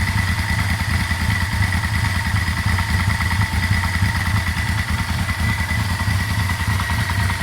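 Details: Yamaha Vmax at idle, about 5 minutes after a cold start, not yet at full temperature, oil pressure just below 20 (about 50 when cold): loose, uneven light knock about three a second, mainly from one side; cause unclear, owner suspects oil pressure.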